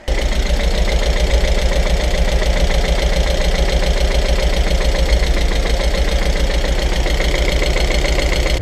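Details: Self-rebuilt Audi TT petrol engine at idle, first start after assembly: heavy, lumpy knock three or four times a second from two cylinders not firing; fixed by replacing the spark plugs.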